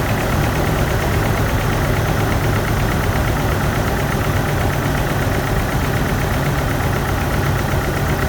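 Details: GMC 2.8L 4-cylinder truck engine idles lumpy and shaky with cylinder 3 misfiring, its ignition coil broken during a timing chain repair; no scan-tool codes are set.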